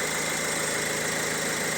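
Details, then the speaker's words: Opel Insignia, about 2020, 1.6 B16DTH diesel, 136,000 km, after timing chain repair, warming up indoors: even, steady idle with a soft regular beat and no rattle or chatter; normal idle. "очень приятно работает я разговариваю практически Ну про просто разговор напряга Мы в помещении у нас дизель и довольно-таки комфортно всё"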